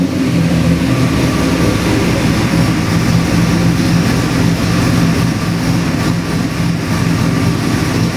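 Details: Chrysler 440 big-block EFI multi-port injected crate engine running on dyno, forged internals, mechanical roller cam, high pressure oil pump, 85 psi cold: loud steady deep V8 rumble, even note, no knocks or misses, normal running.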